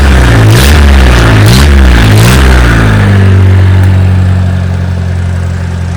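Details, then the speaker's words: An old-model Mahindra diesel pickup, unstarted for what seems over two years, was cold-started with extra diesel added. Three quick throttle blips, then a steady, even idle with no misfire or knock; it runs healthy. "വണ്ടി ഇടിവെട്ട സാധനം കേട്ടോ, ഒരു വിഷയമില്ല. വണ്ടി working ചെയ്തൊന്നും ഒരു വിഷയമില്ല."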